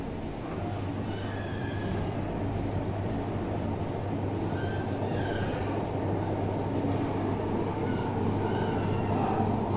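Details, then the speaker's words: Samsung front-load washing machine: constant deep, gravelly rumble and droning hum during the spin while pulley, belt and counterweight check fine; worn drum bearings. "तो यह आप देख रहे हैं इस तरीके से यह वॉच कर रही है बहुत ज्यादा साउंड कर रही है"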